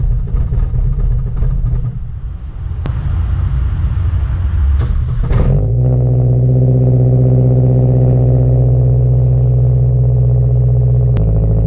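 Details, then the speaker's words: Mazdaspeed3, 400+ whp, before clutch fix (six bolts): harsh metallic clutch rattle and clatter over running engine, then steady droning idle. "As you can hear, it's rattling pretty bad, and yeah, I gotta shut this off because it just sounds horrible."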